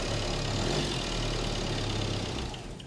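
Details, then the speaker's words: Crash-damaged salvage van's diesel, first crank after priming, catches and settles into a steady, even idle with a smooth low drone and no knocks; vibrates but runs fine, normal idle. "yeah mate at least it runs yeah at least it runs and it sounds nice doesn't it"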